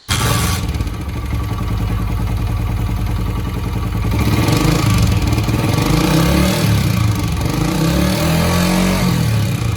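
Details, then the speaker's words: Cold Honda CG 125 (2022/2023 model), about 4000 km, single-cylinder engine runs and revs with loud rattly mechanical clatter through the exhaust; noise started before 4000 km. "जी तो दोस्तों आपने देखा कि bike के अंदर कितना ज्यादा इंजन के अंदर शोर आ रहा है।"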